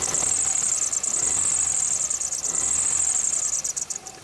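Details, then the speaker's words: Toyota Corolla Bigbody 2E engine revved: high shrill squeal holds steady over the engine, fading as revs drop; worn compressor/power-steering and alternator belts squealing, fixed by replacing belts (or adjusting if uncracked). "So i-rev ko muna yung engine guys, then painggan yung maigi kung ano yung squeaky sound na sinasabi ko."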